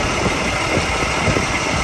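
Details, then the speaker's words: 1996 Jaguar XJ 3.2 with a slight misfire: rough, choppy idle with an uneven beat and stumbles. Thermal imaging shows one suspect ignition coil at 38–39° against 44–48° on the others, pointing to that weak coil. "38 39 so that is the coil that we suspect the temperature is cooler basically saying that there is an issue so we'll look into that further"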